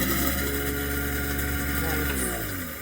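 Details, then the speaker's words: Newly installed replacement garbage disposal, run again after install: even, steady motor hum with a clean tone, pitch sinking smoothly on spin-down; working normally. "So it's working great."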